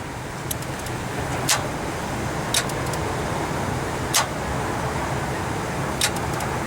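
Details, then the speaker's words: 2002 Ford Taurus 3.0L V6 that died in a parking lot: four sharp single clicks with no cranking, starter failing, likely from oil soaking the brushes; fixed by starter replacement. "yeah here at the auto part store died in the parking lot okay let's hear that click go"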